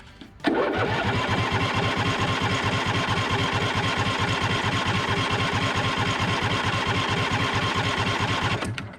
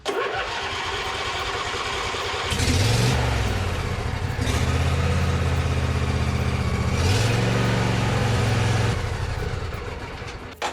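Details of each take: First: John Deere D140 with Briggs and Stratton twin, sat for years, jump-started from a deep cycle battery on full choke with little fuel; steady starter churning, cranks but won't start. Owner suspects fuel starvation or a faulty fuel shutoff solenoid. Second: John Deere D140 Briggs and Stratton twin restarted after the exhaust muffler was refitted; cranks, catches and runs steadily with brief rev changes, no stumbling or knocking. Still runs good.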